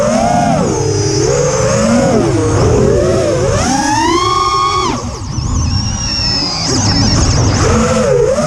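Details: Quadcopter in flight, TBS Bulletproof 25A ESCs (signal cap removed), DShot 600, Betaflight 2.9 to 3.1.0-RC5, untuned with P40 I20 D5. Motor whine swoops with throttle, carrying a harsh buzzy edge; cause unclear.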